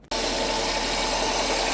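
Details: 1999 Nissan Altima engine idling with a steady, rough, gritty grind over it from a failing alternator bearing; the alternator is to be replaced and bench-tested.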